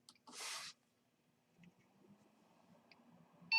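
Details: Thecus N4100PRO NAS booting from USB drive after DOM (disk-on-module) reinstall, earlier attempt failed: short high beep near start and another at end over quiet room; booted normally, USB drive flashing.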